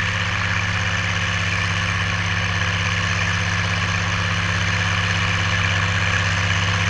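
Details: Oliver 1550 tractor, about 54 hp, pulling a JD BW disk 6–8 inches deep after fuel-system contamination cleared: steady, even diesel chug pulling hard with no misses or surging; clean running under load.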